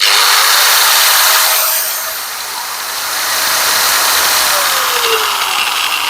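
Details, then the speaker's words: Angle grinder running unloaded: high, harsh whirring with a wavering, rough edge and vibration; the customer reports the cut wanders 5–10 mm when cutting ply or rods, traced to a worn front gearhead bearing. "मेरे पास एक lender आया हुआ है जो कि काफी आवाज कर रहा है चलाने प"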